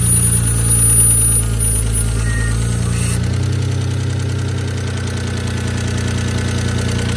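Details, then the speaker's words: Stealth on its first start after new lash adjusters were installed unprimed. Light, fast, uneven ticking sits over the idle while the adjusters pump up; oil pressure is good and the owner rules out the bottom end. "I still hear a lot of thicket [Music] might take a little while for those lifters to puff up we'll see hopefully they do"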